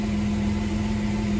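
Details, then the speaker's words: Jeep under rebuild, just after new relays were installed and with the old O2 sensors refitted, at idle: an even, steady low hum settled at about 750–800 rpm as temperature rises with good oil pressure. This is a normal idle; the owner hears an unexplained whirring in the engine bay. "Anyway, as you see, it's down to about normal on the idle, about 750 to 800."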